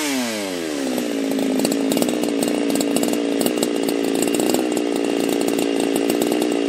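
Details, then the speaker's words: Husqvarna chainsaw: it revs quickly from low to a high, steady scream and holds it cleanly without surging, running right. "The piston was completely gone on it, lower end bearings, the cage was completely gone, and other than that, not too bad. Had to rebuild the whole thing, but yeah, that coil was really screwing me up."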